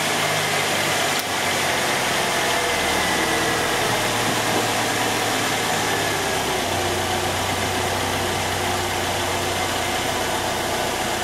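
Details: 2004 Saturn Ion 2.2 L Ecotec after replacing the ignition module (P0300 misfire, no spark from one coil, severe power loss): steady, even idle with regular low pulses, no stumble or skipped beats; firing cleanly.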